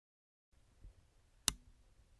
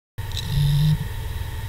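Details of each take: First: Failed hard disk at switch-on: near-silent, one sharp click then faint ticks from the motor attempting to spin, with no spin-up whir. The platters stay still, and the spindle motor is suspected to have failed. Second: Hard disk after spin-up doing power-on self-checks: a soft, light, random buzz with no clicks or scraping as the heads move; normal healthy drive.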